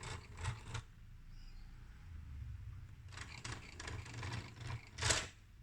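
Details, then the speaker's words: Marantz CD-72Mk2SE CD player tray, unused for a long time. Short bursts of dry clicking and whirring with an uneven, scratchy rasp as the tray cycles; something is catching. The cause is not yet found. "Ini harus nggak boleh krek gitu. Ada yang nyangkut."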